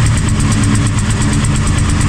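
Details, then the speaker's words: 2019 Italika DS 150-G motorcycle, semi-new: uneven, lumpy single-cylinder idle with a stumbling low beat and black smoke, fault persisting after carburettor refit; running rich from carburation, carburettor with 112 jet suspected not original to this bike. "pero sale humo negro y recuerden uno negro siempre va a ser el tema de carburación"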